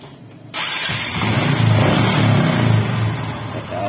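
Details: Honda XRM125 with hard starting and dying at idle: catches after cranking, then runs rough and uneven, revs sagging toward a stall without throttle; won't idle.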